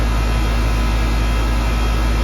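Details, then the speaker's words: Central AC after a bad capacitor was replaced: a steady low compressor hum under the even fan rush, with no buzzing, clicking or stalling; the compressor is running normally and cooling again. "if you listen there isn't just the fan blowing there's also a like a hum like a motor sound"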